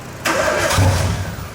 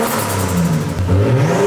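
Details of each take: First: Nissan Skyline RB25DET first start after an engine swap, with no exhaust fitted and the blow-off valve blocked off: a brief starter crank, then the engine catches on the first try with a deep rising rumble. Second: Nissan Skyline RB25DET on RB20 adapted harness, first start, exhaust off, warming up: rising revs with rapid fluttering chatter and a whoosh as throttle snaps shut; compressor surge from a blocked-off blow-off valve.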